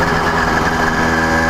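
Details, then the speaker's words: CDH110 (true 85cc) iron-sleeve two-stroke motorized bicycle, cruising 28–30 mph: steady high-pitched buzz, even, no stumbles or vibration; running normally. "nice and so smooth and vibration free motor runs really really nice because it's got no vibrations going on"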